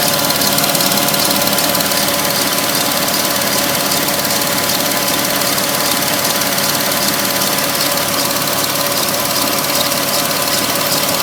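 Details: 2006 Porsche 997 S pre-facelift, 53,000 km: busy, hissy idle with a fast, loosely regular ticking clatter on top; owner finds it sounds odd, unusual idle noise, cause not identified.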